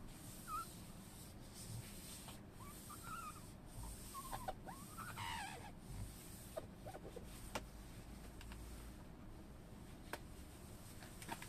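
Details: Tesla Model 3 power window after silicone lubricant applied to the glass seal: smooth steady motor hum, no longer squeaking against the seal (squeaked when raining).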